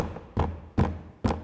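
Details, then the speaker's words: VW T6.1 door card during sound-system install, after first insulation foam: three quick dull taps, each with a short hollow clatter; plastic parts knocking plastic on plastic, quiet when held. "Có một cái gì đó khác và tôi đã tìm thấy nó. Đây là những bộ phận này, nhìn này, nó chỉ là nhựa trên nhựa thôi."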